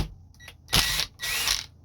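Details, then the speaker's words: Hammering drill driver loosening tight screws on a Singer 201 sewing machine's potted motor/gear drive: two short whirring bursts with quick ratcheting taps as it turns; normal hammer action. "because the drill driver has a hammering action that taps as it turns, And it's really helpful in loosening really tight screws."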